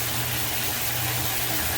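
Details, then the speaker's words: Sump/grinder pump after clearing a suspected air lock in flooded pit; steady low motor hum under a strong rush of water, even and unbroken, cycling on and off properly; normal sump pump operation. "I think it was air locked cuz it's uh it's cycling on and off now that's working good now working really"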